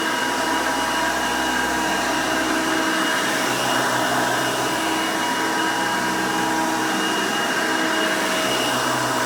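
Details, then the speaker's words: 1990 Hoover Elite 200 U4467 vintage upright vacuum, 5 amp motor: loud, steady high whir with even, unwavering pitch, no rattles or grinding; runs pretty good, healthy. "now typical elite fashion this thing is pretty loud when it's running"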